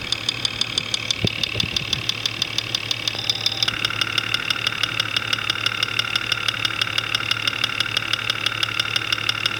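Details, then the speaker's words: Jeep 4.0L six-cylinder at idle, multi-channel clamps on the fuel injectors: sharp, even ticking at about three per second, loudest at cylinder five; plug wire to be pulled to test, cause still unconfirmed. "number five cylinder is quite loud we're gonna pull the number five spark plug wire off to take the load off that cylinder and see if that has an impact on noise"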